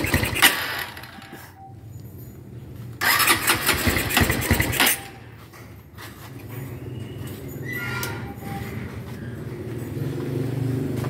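Choppy, loping idle around three beats a second with short blips of throttle; that uneven lope is the hot cam, not carburetion.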